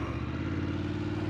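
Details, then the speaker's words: BMW F850 GS Adventure after repair of complete clutch, timing chain and tensioner and quick-shifter reprogramming: short even idle with a steady low pulse, no ticking or rattle from the top end, sounds much better. "Oh yeah, that sounds a lot better. Clutch, complete everything on the clutch."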